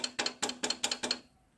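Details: Honda Unicorn motorcycle rear: six quick bursts of bright bell-like metallic jingling as the rear brake rod is shaken, worn play at its special bolt, heard over bumps.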